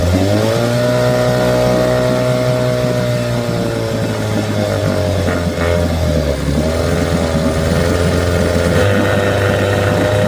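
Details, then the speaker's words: 1975 Johnson 6hp outboard that starved for fuel and died at full throttle, after fuel line work: steady low, even putter with constant pitch, no misses or surges; normal idle. "Let's look out of here. Idling great."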